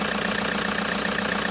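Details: Toyota HiAce diesel at idle with a sharp metallic knock about seven per second over a rough idle, plus vibration and excessive white smoke; a mechanic recommended an engine overhaul.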